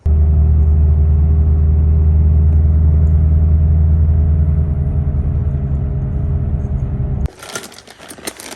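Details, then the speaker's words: Infiniti G37s coupe, driving: deep, constant droning rumble that the owner attributes to a bad wheel hub bearing, which is being replaced along with the rotors and brake pads. "wheel bearings or wheel hub hook bearings pretty bad i put a clip right now so you can hear what it sounds like"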